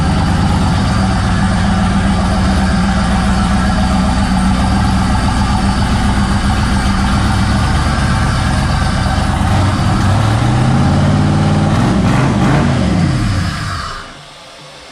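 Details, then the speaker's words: First start of an LS turbo swap in a 1956 Chevy Bel Air: deep, steady V8 idle with an even, slightly lopey pulse, no knocks or ticks; sounds healthy and not loud. "That thing sounds good. Sounds real good. I'm just not used to it, so kind of like."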